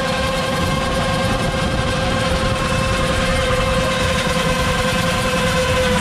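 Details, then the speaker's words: York rooftop HVAC unit: loud steady rumbling roar with droning tone, customer likened it to an unbalanced washing machine; blower bearing completely failed, blower bolt found loose. "that ain't good the bearing is completely gone"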